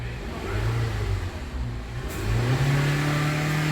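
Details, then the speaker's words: 2013 Honda CR-V with P0341 code after stretched timing chain replacement: engine now revs smoothly past 4,000 RPM, where it was previously limited, and holds steady; normal revving after repair. "Oh yeah, it revs over 4,000 RPM now, because it limited it, or it limited the RPMs down to 4,000."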